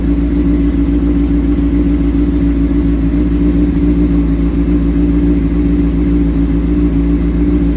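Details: 2003 Honda CBR600RR with Yoshimura slip-on, sat about three years, cold start on jump box: fires right up with a deep, even exhaust note, steady firing, no misses or stumbles, running smoothly.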